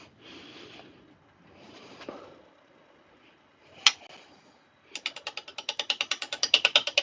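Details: Lathe turning a blank, likely birch, with a spindle roughing gouge between centres with tailstock: quick, uneven tapping about three a second as the gouge meets the out-of-round blank, visibly bouncing; rough running from unbalanced blank.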